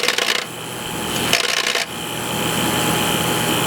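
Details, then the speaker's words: Air-cooled TIG welder (P502): a fast, uneven relay chatter cycles the contactor, then a steady hum. Pressing the relay with a screwdriver stops it; the relay needs adjustment, possibly its tab or contact spacing. "No more rattling. As soon as I let go of the screwdriver, the rattling starts."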